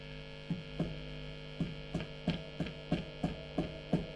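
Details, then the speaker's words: Late-1980s Hiwatt 100R Trinity tube guitar amp: constant mains hum, and each light tap sets off a crackly thump, pointing to an intermittent connection. Dry joints suspected. "I'm not tapping that very hard I can hear that so that maybe gives us a bit of a clue that to what they could be a few faults with this"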